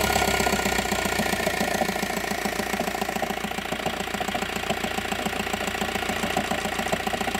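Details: 2009 VW T5 diesel at cold idle: a steady knock about three to four times a second over the engine. First suspicion is the dual-mass flywheel, not confirmed. Knocking at cold idle.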